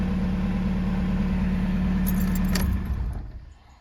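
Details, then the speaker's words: 2005 Jetta TDI diesel right after installing a new electric lift pump: pump cycles with key on, starts quickly with some exhaust smoke, then an even, steady idle with low regular clatter before shutdown; normal idle. "perfect so that's working good fuel gauge still works for a start seem to start pretty quick scared me smoke coming in with from my exhaust starting this idling sounds good"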